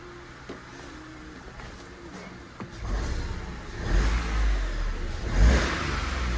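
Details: £150 Copart car, not driven since Friday, started and revved in workshop: quiet steady idle then clean rising revs settling without misses or knocks; running really smooth, though it still needs a road drive.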